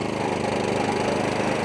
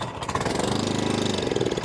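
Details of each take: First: Atco Balmoral 20SK mower, Kawasaki FJ100 engine, after carburetor, fuel tap and fuel cap service following E10 fuel problems; steady, even note under blade load with smooth firing, no misses or surging; normal running. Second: Atco Balmoral 20SK mower, sat in shed months with E10 fuel in tank and carb; on choke after draining fuel from bowl, it catches and pops briefly then dies within seconds; fuel starvation, carburetor needs looking at on the bench.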